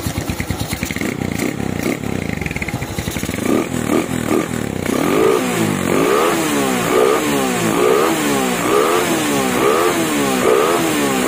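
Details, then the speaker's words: Motorcycle with PWK 35 KRJ carburetor, before disassembly: starts immediately, stable idle, then revs rise and fall cleanly with no stumbling; runs normally. "Oke, ini starter langsung hidup. Langsam juga stabil, Teman-teman bisa dengar sendiri."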